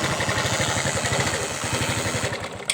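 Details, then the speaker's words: Excel 100 BS6 moped, after fuse-blowing short fixed with tape: fast even putter with dry buzzing rattle from fuel pump; cause is cut sensor wire or sensor not working properly. "ట్రుర్రమని sound common point ఏంటంటే ఇక్కడ మనకి ఈ wire అనేది, ఈ sensor wire అనేది cut అయిపోయింది."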